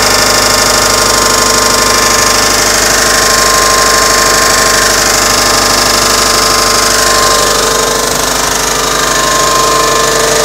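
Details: 2006 Subaru Legacy GT boxer engine at idle: fast, even ticking about three a second over a bright busy idle; recently started, cause unknown.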